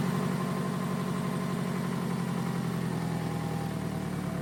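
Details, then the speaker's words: 2002 Toyota Camry, 273,000 miles, sat over 5 years, after splicing the cut coil pack wiring back together: smooth even idle with steady low hum, no knocks or stumbles; normal healthy running. "It runs and runs pretty good. you know, for to have 273,000 miles on it."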